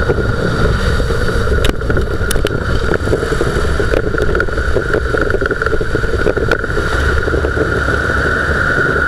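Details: Dodge Durango driving: steady rumbling growl and droning hum under road noise from a worn front wheel bearing, much louder on the right side, though noise stopped in sharp left turns suggesting the left; some floor vibration.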